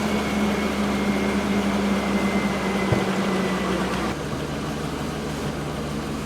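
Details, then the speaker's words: Truck idling after manually bleeding air from the power steering system: steady idle with fan hum, power steering pump whine gone, much quieter than before. "i can already tell it's 100 quieter than it was"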